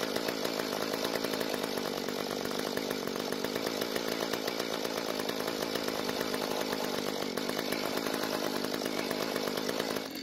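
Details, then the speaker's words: Free Mantis tiller two-stroke, stored and leaking gas, started after fresh fuel and priming but needed mostly choke and died when revved; uneven struggling buzz then dies, not enough fuel: lean running. "So it finally started, but I had to keep it mostly choked, and also when I tried to rev the engine, it also died. That means that the engine isn't getting enough fuel to start properly, and not enough to rev up either."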